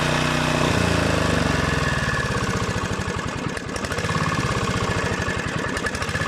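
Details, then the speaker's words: Honda GV150 single-cylinder engine test after rebuild, transmission not yet reassembled. Steady fast chugging beat that pulls up cleanly and smoothly when opened up, fairly round on acceleration. Normal running. "et donc plutôt rond à l'accélération"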